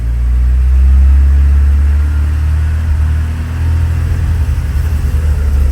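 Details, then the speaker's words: 1984 Porsche 944 idles perfectly but stumbles and breaks up under light throttle, failing to rev cleanly past about 2200 rpm; owner had swapped fuel pump, airflow meter, computer and fuel pressure regulators without curing the misfire. "so this is what the car does start it up runs and idles perfect give it g gas starts breaking up ease the gas real"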